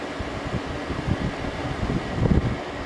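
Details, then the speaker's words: 2001 General Electric Quiet Aire air conditioner after fan motor bearing replacement; soft even fan whoosh over a low steady hum with no rattles or squeals, really quiet; blowing cold air, normal running. "that is really quiet sounds beautiful that sounds beautiful really quiet"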